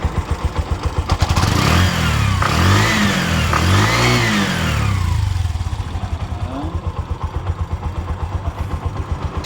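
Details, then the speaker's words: Bajaj auto-rickshaw BS4 engine, rebuilt about 3.5–4 months earlier, after re-fitting to chase a knock: quick even pops at idle, then a clean rise and fall through two revs with no knock or rattle. Trial run confirms it's fixed. "Okay ಸರಿ ಹೋಗಿದೆ trial ಎಲ್ಲಾ ಹೊಡೆದೆ ಕರೆಕ್ಟಾಗಿದೆ"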